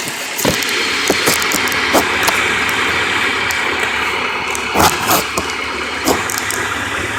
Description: Rod bearings on an h22 .. This is what a bad rod bearing sounds like